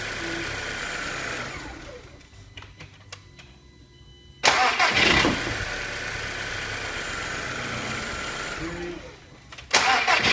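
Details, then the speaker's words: TFSI after running-fault diagnosis and repair, codes cleared: engine cranked about six times with lights on to check voltage drop, cranking briskly and catching cleanly, even idle, no errors returning; normal cranking and start. "Okay and then we're going to just crank the engine over a few times to make sure we've got that symptoms not returning"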